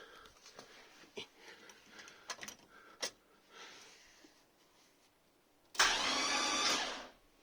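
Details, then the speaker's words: Volvo 240GLE project with LS2 engine, unstarted for 8 years and freshly rewired, spark plugs out and injectors and coils disconnected for an oil-pressure check: a few light clicks, then a steady whirr of the starter spinning freely; starter and circuit work. "that's good noise starter motor works the circuit to get there is working"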